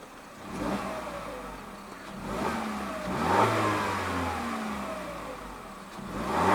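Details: 2021 Peugeot 3008 Allure, 1.6 THP EP6CDT turbo petrol, 6-speed automatic, stationary: crisp blips climbing and dropping cleanly, revs settling back smoothly each time, no knocks or rattles; normal free revving.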